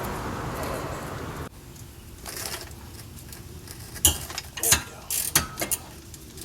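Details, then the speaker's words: 2006 Honda Accord rear hub, spun with the wheel, brake caliper and pads removed, no load: rough gritty rumble and a few handling knocks, confirming the worn rear wheel bearing as the noise source. "so you can hear right there that that is the cause of the problem and that's without any load on it"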